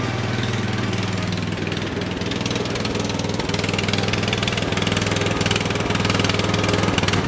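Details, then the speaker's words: Briggs & Stratton 13 hp OHV on an MTD/White LT300 tractor, being driven. Steady chug that dips and recovers about every second; owner suspects water in the float bowl, not confirmed, engine surging. "yeah yeah i' tell she's got some water in there you bounce the thing around a little bit and smooth on out"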